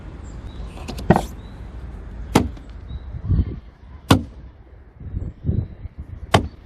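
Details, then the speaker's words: Alfa Romeo 156 1.8 Twin Spark, rear left door: loud, sharp creaking clunks as the door swings, about one every two seconds. "and that's freaking annoying i could make a dubstep song with this sound"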